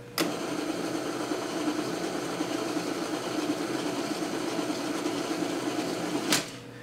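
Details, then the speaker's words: Ampex 600 tape transport after clutch repair, on fast forward; fast spool-up with fluttery buzzing rattle over steady motor hum until stop; rear rollers and fast-forward clutch rattle loudly. "As you can hear, it's not the quietest. There's a little bit of rattle in these rollers at the back."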